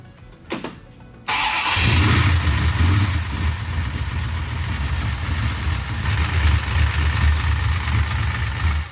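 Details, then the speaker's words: 1968 Dodge Charger with a used big-block 440, after replacing rocker arms and pushrods: fires into a lumpy idle with a quick, persistent top-end ticking, exact same noise as before; lifters now suspected. "Still got the noise. It still has the exact same noise, which is weird."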